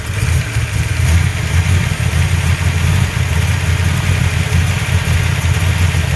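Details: 347 V8 at idle: a lumpy, uneven beat with pulses dropping out, a misfire. The owner suspects a vacuum leak; cause unconfirmed.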